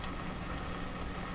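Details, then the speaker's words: CBS Columbia Model 5330 vacuum tube clock radio powered at about half voltage (~60 V) via isolation transformer and series bulb: heavy steady low hum, no broadcast audible; loud mains hum. "so even at this volte's level what do we hear we hear a big hump"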